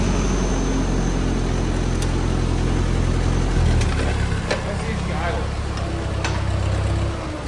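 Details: Old Ford tractor restarted after clutch linkage adjustment, clutch worn and PTO tested: low, even engine throb holding steady with no knocks or misses; runs smoothly "like a sewing machine".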